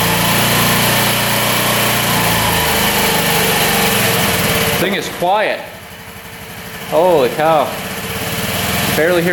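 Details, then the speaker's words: 2018 Honda Ruckus scooter that had not run when bought, just restarted after the plug boot was checked: the small single-cylinder engine runs quietly but unevenly, its beat stumbling and fading. It is running rough. "It's not running the greatest, is it?"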